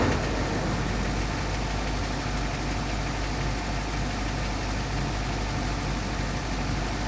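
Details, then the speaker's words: 2005 Duramax LLY diesel V8 at cold start idle after its dead batteries were charged: a deep, steady rumble with a rhythmic knock keeping pace with idle. The owner is unsure of the cause, and a compression test suggests the engine needs replacing. "i bought this truck many many months ago and it's got a bit of an engine knock noise not really for sure what's going on with it"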